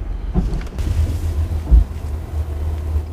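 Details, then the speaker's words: New SAIC VW Passat 330 automatic braking to a stop, recorded outside the car: low engine rumble and a sharp firecracker-like clunk on the 2nd-to-1st downshift; dealer suspects a gearbox problem. "二档到一档的时候，然后我踩刹车准备停车的时候，一踩刹车，他车子就会顿挫，严重的异响，咔嚓一声。"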